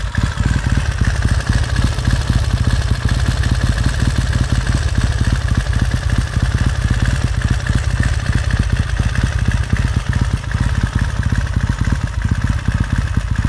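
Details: 1969 Triumph T100C after rebuild, started cold on one kick: even, steady thumping beat at idle, no knocks, misses or rattles; normal healthy twin warming up.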